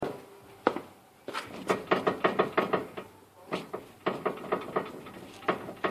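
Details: 2006 Mazda 3 with sharp irregular clicks and knocks in short bursts as the wheel turns, plus road wander; new inner and outer tie rods didn't help, and replacing the worn steering rack and pinion fixed it.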